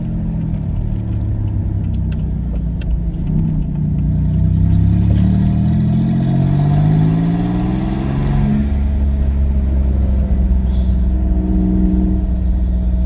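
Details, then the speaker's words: Twin-turbo V6 Mustang, untuned, after swapping in a larger DW 340 lph fuel pump; smooth engine pulling through the gears, strong second-gear pulls, steady rising and falling drone with no stumbles or misses; normal running. "she hasn't died on me yet i mean it sounds fine yeah i could hear you ripping well from my end it sounds pretty cool"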